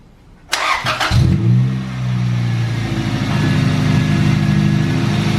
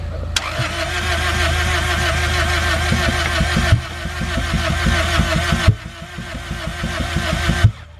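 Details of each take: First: Engine after cylinder head rebuild with new valves and valve adjustment (valves were all too tight), timing fine: short crank, catches, flares, settles into steady even idle; running normally. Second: Engine first start after cylinder head rebuild with new valves, cylinders wet: three cranking bursts without catching; crank no-start from bad, black fouled spark plugs not igniting.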